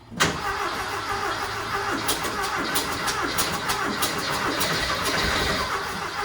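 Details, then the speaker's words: Rat rod Porsche with custom turbo intake and bigger carbs, first start after install: engine fires and keeps running fast and uneven, never dropping to idle; throttle hanging open, needs a better return spring. "I need a better return spring."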